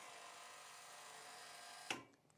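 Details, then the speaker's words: MESA003 on/off electric valve actuator after setting the number 2 closed travel cam: steady thin motor whine driving the valve, then clean click at end of travel; normal actuator running. "you can see by looking at this, the valve is driving in an open The valve is driving open, and I'm going to let it drive closed until it stops."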